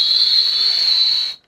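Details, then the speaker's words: RV window sliding in its frame during maintenance: piercing, steady high-pitched squeal like nails on a chalkboard, stopping when movement stops; caused by the dry vertical rubber seal, not the dirty top and bottom tracks. "So I don't know about you guys, but when we're doing our maintenance, we've noticed that our windows squeal really bad."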